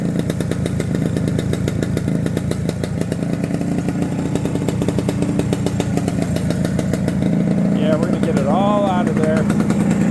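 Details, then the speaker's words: Barn-find TS250 two-stroke running: steady, crisp buzz with an even beat and almost no piston noise, no knock or rattle. Normal running. "it's running and it sounds great I mean I don't know if you can hear it but there's almost no piston noise almost just like not at all that is so cool"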